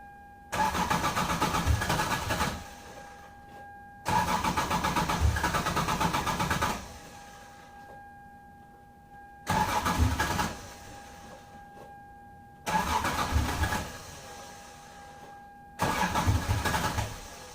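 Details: 1996 Lexus SC300 2JZ-GE manual, cold start before fix: five roughly two-second bursts of starter cranking, engine never catching; long start and rough idle, fixed by reconnecting a plug under the intake manifold.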